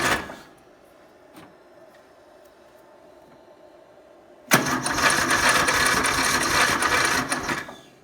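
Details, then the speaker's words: Murray, first start in a long time, battery possibly faulty: harsh metallic grinding whir for about three seconds while cranking, never catching; owner says the starter began this noise after someone else drove it. "Let somebody drive it, and after that the starter started doing that noise, so."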